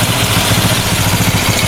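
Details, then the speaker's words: Honda Supra 125 after rebuild of a collapsed engine: valves replaced, aftermarket (KW) camshaft without decompression, oil spraying well. Idle deliberately set high for run-in. Steady fast idle, smooth, no ticking; some air noise; engine still feels tight, not from rings. "ya ini rpm-nya masih tinggi sekali ya memang saya bikin tinggi kayak gini karena ini kan posisinya ryen lah"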